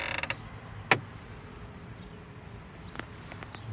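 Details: In a quiet Fisker Ocean One cabin with no motor running, a few sharp, isolated clicks and a faint creak come from the dash or vent area on first start-up. The noise stops after a minute or two when the dash lighting goes off; the cause is unknown.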